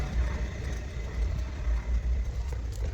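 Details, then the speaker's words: 2012 Toyota Hiace van: deep coarse rumble with uneven thumping as wheel turns, worn-out wheel bearing before teardown and replacement. "So here's a little sound of the wheel bearings how bad it is. As you can hear from that noise that course running that tells you that the wheel bearing is gone."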